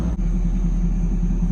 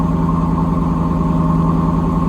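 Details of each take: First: 1992 Chevrolet Camaro RS, Chevy 305 V8 with 700R4 transmission, first start after months sitting: smooth, even idle with steady low rumble, no hunting or surging; initial high idle has settled back to normal, slight white smoke of unknown cause. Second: 1992 Camaro RS with a Chevy 305 V8 and 700R4, a junkyard car starting for the first time in months after a battery charge: fast, steady, even idle with no misses, idling well above normal.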